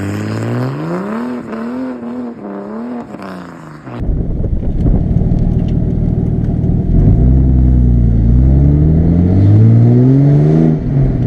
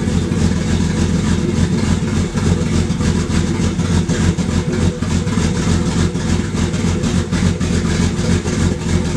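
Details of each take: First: Barra inline-six swapped Mustang drift car after replacing the cylinder one injector with a new stock injector set: revs cleanly and pulls smoothly through rising throttle with even firing and no miss; now runs normally. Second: Barra-swapped Mustang drift car idling really rough and lumpy, stumbling about three times a second; air-fuel ratios pegged completely lean, over 17; misfire with one cylinder dead from a faulty injector and low fuel pressure.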